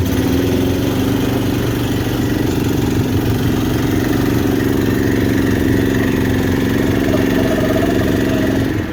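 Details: Big-block V8 in a long-bed truck, carbureted (accelerator pump not squirting), engine just finished as the 400, outdoors: smooth even deep rumble, no knocks or misses; normal healthy idle.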